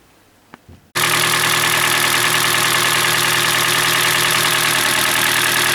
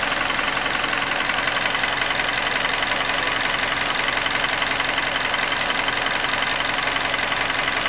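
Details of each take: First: Hyundai Elantra G4NB, about 2012–2013, roughly 240,000 km, cold start: steady idle with dull knock about three times a second; piston slap, louder when hot, cause found to be scored cylinders. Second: Hyundai Elantra G4NB, about 240,000 km, after engine rebuild for cylinder scoring knock, new thermostat and PCV valve: even, steady idle with light regular ticking, no knocks or misses; fully checked, ready to return.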